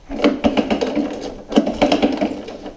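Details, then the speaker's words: Honda ATC185 engine turned over by pull cord: rapid, uneven clatter of hard metallic knocks from the lower end; suspected rod knock or bottom-end damage, possibly after aftermarket carburetor choke-plate screws were sucked into the engine; clutch adjuster loose. "sounds to me like a rod knock or horrible bottom and I don't know what the hell's going on but it is not good"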